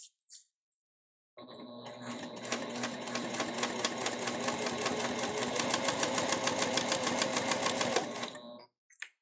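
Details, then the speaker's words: Elna eF1 semi-industrial sewing machine with Tex 45 (20 weight) thread and the factory needle. Quick, even needle ticking over a very quiet, soft motor hum, steady throughout. Normal sewing operation. "I'm willing to pay just a few hundred dollars more to get what I'm getting in this machine which so far sounds like a very quiet motor a nicer bobbin Winder"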